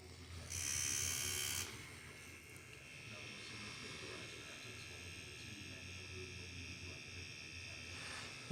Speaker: chattery but it did sound like that noise is coming from inside we're just making contact with the plunger